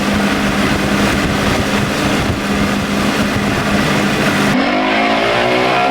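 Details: Outboard on test run at speed after the boat was bought back with a blown motor and repaired, now on a new prop of unknown pitch (old 3-blade 17 pitch did 44 mph); strong even drone rising smoothly, no misses or knocks; runs excellent.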